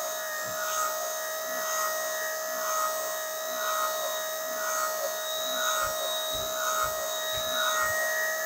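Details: 12 V gear motor (electric window motor) for virtual pinball force feedback, run on a bench supply at 12 V drawing 1.72 A: steady, even hum with constant pitch and no knocks or grinding; normal gear motor operation.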